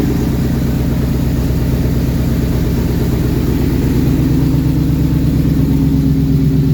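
Steady, even V8 rumble at a settled idle with no knocks, misses or squeals; the engine is running healthy.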